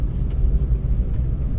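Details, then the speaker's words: Hyundai Grand i10 petrol, road test after fitting a used replacement manual gearbox for a humming noise: low even road rumble, no whine or hum rising with speed, all gears shift properly; quiet gearbox. "कोई आवाज नहीं है gear भी सारे shift हो रहे properly सब okay"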